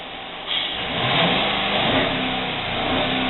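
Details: Jeep Cherokee 4G (after injector cleaning, coil and plug changes): engine revs with a ragged, uneven note, misfire on cylinder 5 making it shake, check-engine light flashing.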